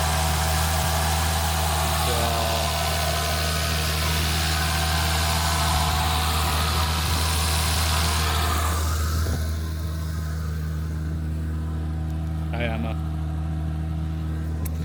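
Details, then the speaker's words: Volvo S60 at idle with the engine cover off, after installing a Snabb turbo inlet pipe and a new PCV: smooth steady idle with light, quick, even ticking on top; normal, loud fuel injector noise. "But, as you can hear injectors are pretty loud."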